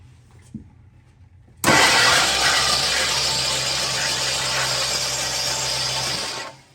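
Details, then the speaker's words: Abandoned 1969 Lincoln Continental, long-sitting, hot-wired: the starter spins the engine steadily for about five seconds but it never fires. Spark check shows no spark; the ignition may not be switched on. "Just as I suspected. No, no spark. No sparky spark."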